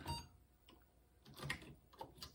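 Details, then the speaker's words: Apple II Plus floppy drive booting after an earlier failed boot attempt; owner calls the system flaky and suspects bad connections. Quiet irregular ticks and soft clicks of the drive head stepping as it reads the disk; a normal boot. "now it's booting. So this is one of the problems with this system. It's just a little flaky."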